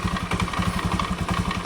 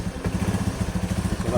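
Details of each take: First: Scooter CVT at idle before repair: quick, regular clattering knock from the belt-drive side; caused by a worn roller housing bushing, with a worn, flattened roller also found. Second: Scooter CVT after fixing worn, loose roller housing bushing, at idle: soft even low putter with no rattle or knocking, the earlier loud CVT clatter gone; quiet and healthy.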